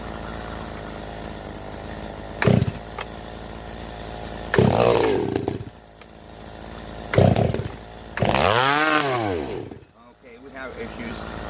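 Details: STIHL MS390 chainsaw with IRONHORSE straight-pipe muffler, being tuned with the carb high jet opened past about 1.5 turns and idle raised: short, uneven revving bursts that sag and fade; won't hold a tune. Cause unconfirmed.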